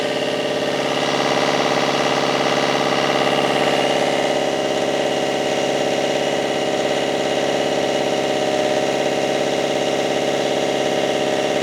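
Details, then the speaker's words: Marine diesel with a new Arco Zeus alternator regulator, running after turbo work and fuel filter replacement, earlier billowing smoke and no high RPM: steady, even running with a faint turbo whistle and no knocks or stumbles; a temporary success. "well I think we should call that a at least a temporary success and a temporary win because the engine now"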